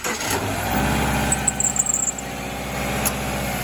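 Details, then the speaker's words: 2011 Subaru Forester engine starting and idling with a quick run of sharp, high chirps; serpentine belt squeal, owner suspects it also squeaks when turning the steering wheel. "all right I've got a squeaky belt in my Subaru let's take a listen"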